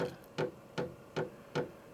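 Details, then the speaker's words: Vevor 8 kW diesel heater with about 2.5 L of colored diesel, first run with no heat felt yet: sharp even clicks about every 0.4 s from the pulse fuel pump, showing it is pumping fuel normally. "This machine has a pulse fuel pump in it, and that's what you can hear. So that means that it is pumping fuel."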